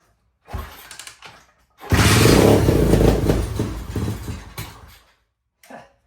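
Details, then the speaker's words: Rebuilt junk Tao Tao pit bike, first start on carb cleaner sprayed into the air filter with no gasoline: kickstart, brief catch, few seconds of rough rising revs with a little throttle, then dies; engine fires and runs. "Well, I guess it does start. There we have it. Built in a week."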